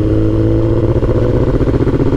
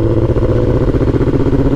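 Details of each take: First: Suzuki GSXR1000 (2005-2006) motorcycle after misfire repair, previously misfiring with no codes and not revving past 5,000 rpm; now revs up and settles back smoothly with no stumbles or misses. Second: 2005-2006 Suzuki GSX-R1000 engine revving rough and uneven, misfiring with no codes and not revving past 5,000 rpm; rich running from excess fuel.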